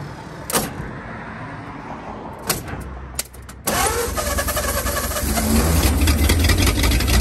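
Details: 1939 Ford 1.5-ton truck, flathead V8 parked about 65 years (bad head gasket, water in oil pan), new intake gasket and condenser, wired directly to battery: cranks, catches in about four seconds, steady even rumble; runs pretty good, carburetor a little weak.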